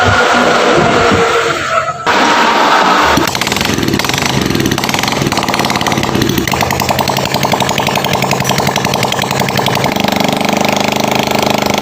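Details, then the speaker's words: Honda Grand motorcycle after a valve clearance adjustment, manifold refit and fresh oil: it revs steadily with a busy mechanical patter, sounding different from before and running normally. "Saya lembur beda ya suaranya ya guys"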